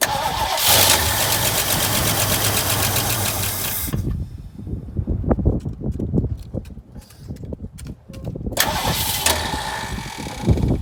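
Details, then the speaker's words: 1968 Mustang sitting 8 years, new battery, primed with capfuls of fuel: starter churns steadily for several seconds, pauses, cranks again but never fires; owner suspects fuel pump not pumping or carb empty, choke uncertain. "So maybe my fuel pump isn't pumping fuel, guys. Or that carb doesn't have fuel in it."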